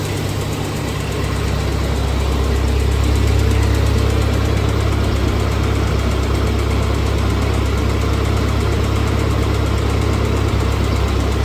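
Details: 1948 Ford 8N tractor idling in neutral on first start after a full engine rebuild, with a new carburetor; steady low rumble with even firing pulses and no knocks or misses, a healthy normal idle.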